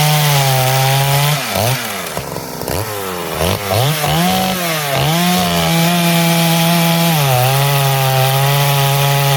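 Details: Poulan 5200 chainsaw, test cuts in wood: crisp buzzing pulls down in pitch as the chain bites, then clears and picks back up; normal, strong cutting under load.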